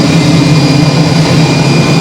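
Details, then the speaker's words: Hoover Spinarinse 3012A spin dryer from December 1968, spinning a load of laundry after drain hose repair with silicone sealant (leaks a little): smooth steady low hum at full spin, faint constant high whine, no knocking or wobble; healthy. "you know that it is doing a good job well anyway I'm very very pleased about that"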